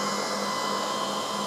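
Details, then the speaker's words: Old CNC router revived after two years stored, at power-up: even cooling-fan whirring with faint steady drive hum, no rattles or buzzing; power supplies, spindle VFD and three stepper motors running normally. "before I press that I'll move the camera so you can see but uh that power supply is running that power supply is running the uh vfd for the spindle's running the three step OTS are running"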